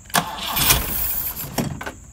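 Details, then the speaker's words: Transplanted fuel-injected engine in a fake BMW 2002tii started on four wires bypassing car wiring, electric fuel pump not connected, starting fluid sprayed in: starter cranking, then a couple of quick firing bursts that die away at once; no fuel delivery. "however I did just spray some starting fluid in it so with any luck it'll start for a couple seconds and then die"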